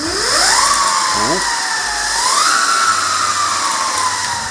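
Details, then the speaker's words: E-bike with a newly installed Flipsky FT85GS controller, 3-speed switch on setting 1 (wired as high speed): motor whine sweeps up quickly to a steady high pitch, dips, then climbs again and holds, spinning freely. "So it looks like as it's currently wired up, number 1 is the high speed, number 2 is the mid speed, and number 3 is the low speed, which is actually flipped, I think, from the ENC kit."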